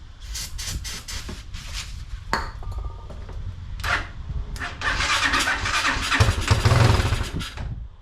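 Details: Unidentified, probably Chinese four-wheeler, choke on, jump pack, started via solenoid with screwdriver and starting fluid: starter whirs in short bursts, turns over without catching; bad gas, pilot jet plugged and main jet nearly plugged in carburetor.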